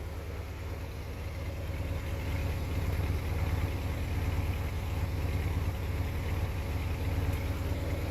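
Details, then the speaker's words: 1969 Plymouth Road Runner V8 just after swapping the old Carter carb for a 650 Holley double pumper: deep lumpy idle around 1,000 rpm, mostly smooth with faint occasional popping back through the carb; needs adjusting. "I definitely need to go through and adjust some stuff on it cuz it's kind of popping through the carb a little bit but it's sitting here idling pretty smooth"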